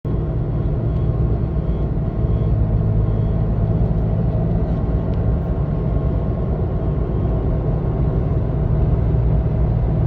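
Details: Toyota Tacoma 3rd gen, 4-inch lift on Fox 2.5 suspension, cruising at 40–60 mph: deep steady hum under road rumble, cycling slowly. Began after a bumpy mountain drive; persists after the needle bearing was replaced with an ECGS bushing. Cause unknown.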